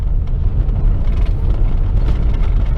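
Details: Chevrolet Corsa sedan driven on road, heard from inside cabin: heavy low road rumble with scattered loose clicks and knocks over bumps; everything rattles, not just suspension but bumper and doors too.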